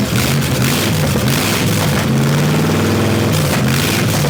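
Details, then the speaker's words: Buick Nailhead V8 vintage rail dragster with open headers, after a carburetor change and retuning running only the front two barrels: very loud rough rumble holding steady idle with blips; normal idle. "now oh yeah she'll idle she'll start"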